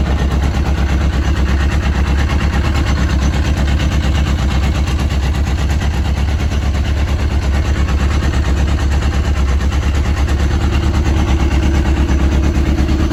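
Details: Yamaha RX1 1000cc four-stroke snowmobile engine, sat 6 years, first warm-up after ultrasonic carb clean and new fuel bungs, coolant just added: even, steady idle with firm low pulse, no knocks or stumbles; normal warm-up idle.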